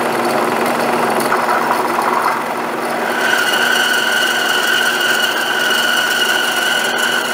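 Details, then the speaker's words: New Grizzly G0561 horizontal bandsaw cutting aluminium with the stock 6 TPI blade: motor drone, then a steady high ringing squeal as the teeth bite; blade chatter, suspected from too-coarse teeth, later swapped for a 12 TPI blade. "so i'm getting uh quite a bit of chatter uh again i suspect it's because the the teeth on this are too coarse"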